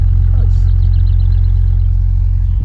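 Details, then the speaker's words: Proton Satria GTI being revived, first start: a deep, steady, heavy low rumble from twin pipes, starts and runs okay; unsure whether it is an aftermarket beefy exhaust or a blown exhaust, to be checked. "I'm not sure if it's got beefy exhaust or if it's just got an exhaust blown let's see what twin pipes it's definitely quite beefy"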